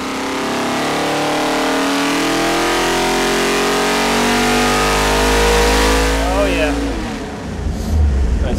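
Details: Ford 427 stroker V8 on Boss 351 block, hot on engine dyno after a timing tweak, final full-throttle pull near 600 hp, 586 lb-ft: smooth rising howl to the top, cutting back cleanly; healthy full-throttle pull.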